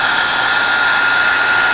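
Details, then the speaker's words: Heiss Heaters blower with digital aquastat and flow switch, room at 50 degrees, flow switch triggered by hand to simulate water above 1.6 gpm: strong steady rushing hiss and constant whine, no rattles; blower running normally. "The fan is on. Now when I remove my finger, the fan is off. And this, basically every time that I put my, anytime the water's above 1.6 gallons per minute, it'll allow the blower to kick on."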